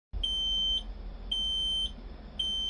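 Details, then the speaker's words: Shuttlewagon with Cummins QSB6.7 diesel in limp mode: high steady beep about half a second long repeating roughly once a second over engine rumble, low air pressure warning that stops once air is built up. "All right, we got some kind of error and we're beeping because no air pressure."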